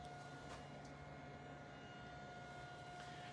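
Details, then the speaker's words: Cooling fan inside a Sega Extreme Hunting 2 Atomiswave arcade cabinet: steady, even hum with a constant mid-range whine, no rattle or ticking; normal, as these boards need the fan running or they burn up. "And if you can, you've probably noticed that fan running. Can you hear that humming in the fan?"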